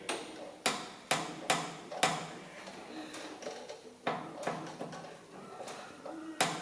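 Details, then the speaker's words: Massey Ferguson 20 with power steering not working, front raised on an air jack and the wheel turned by hand: irregular dry creaks and sharp clicks as the kingpin binds, possibly half the steering problem. "I can't turn that, I reckon there's a bit left to right. You can hear it binding in there."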